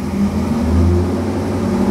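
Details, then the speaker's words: 2009 Corvette C6 convertible V8, one owner, low mileage, just started, sat a while, warming up to circulate oil; smooth even low idle, steady deep hum, no ticking or knocking; only gray condensation smoke, healthy. "oh man that motor is [Music] nice and quiet no lift noise no run I don't want to rev it too much but it sounds really good"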